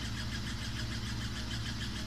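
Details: Samsung WW5300 washing machine (WW95T534CAE), outlet unit on its second use, loud from the start: a steady drone with a rhythmic whooshing pulse and a faint squeal, abnormally noisy, cause unclear.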